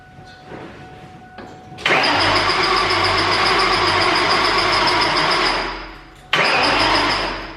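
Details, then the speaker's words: 2003–2004 SVT Cobra supercharged V8 after engine rebuild with all 32 valves replaced, on a jump pack: two long bursts of fast, even starter whirring with no firing; crank sensor left unplugged after installing AC compressor. "I think I know what it is. I don't have any crank sensor. Uh when I put the AC compressor on, I didn't plug it back in."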